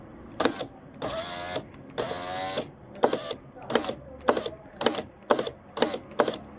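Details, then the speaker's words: Fiat power window regulator motor, door panel removed: whirring runs with sharp cracking clicks when lowering; gear shifts because its rubber damper is missing, fix is replacing the rubber. "fez o barulhinho na hora de baixar ó dá tipo de um crack né no caso né tipo da engrenagem que ela acaba se mexendo porque tá sem as escolas dela né olha aí ó"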